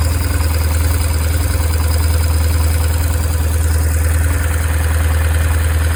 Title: BMW R1150R 2002 Engine sound issue